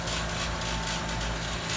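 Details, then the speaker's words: Worn-out 2002 Payne outdoor air-conditioning condenser unit, in service since at least 2015: loud steady hum with a coarse, uneven rumble under the fan; owner says it has always sounded this rough, just tired. "some people say it sounds rough it's always sounded this way as long as we've been here even when it's been working fine so that's just tired"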